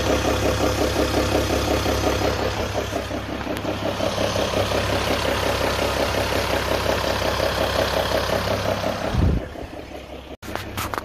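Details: EcoDiesel with 59,000 well-maintained miles and occasional 4,500 lb towing, idling: deep, regular knock about three times a second from a failed main bearing; dealer found bearing material in the oil pan.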